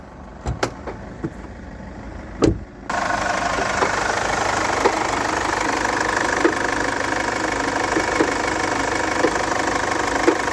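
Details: Chevrolet Captiva 2.2 diesel settling to idle after a few handling bumps, light sharp tick about once a second; engine knock at idle, owner suspects the timing chain mechanism/components, not confirmed.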